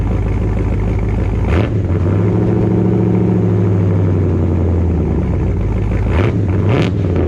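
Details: Dodge Dakota R/T V8 pickup with Hellcat/Scat Pack resonators plus added Ram 1500 resonators: lumpy idle with deep steady drone swelling as throttle is blipped; exhaust drone remains too loud.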